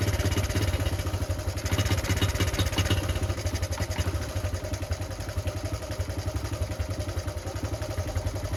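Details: Honda Cub C70 under restoration after fixing points that were earthing and throwing spark timing off: small single thumping at an even steady idle with light tappet clatter, firing cleanly with no misses or stumbling.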